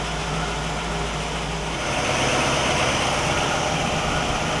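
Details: 1960 Pontiac Catalina 389 V8 at a steady, even idle with a smooth low beat and no misses or stumbles, Heathkit IO-20 ignition oscilloscope attached; all cylinders' patterns consistent and the ignition checks spot on, a healthy engine.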